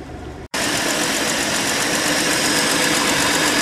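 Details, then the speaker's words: Old Ford Falcon with points ignition, started after sitting through winter, settles after a brief dropout into an even, steady idle hum with no knocks or misses, smooth as a sewing machine; normal idle. "tell you it's smooth man like a damn sewing machine not bad for how old it is"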